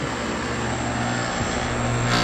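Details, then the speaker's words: Outdoor air conditioner condenser unit running: steady fan and compressor hum with a light, uneven rattle; a bad electrical board is suspected, source not confirmed. "hear that noise i think the electrical board may be bad or i don't know it's running but rattles just a little"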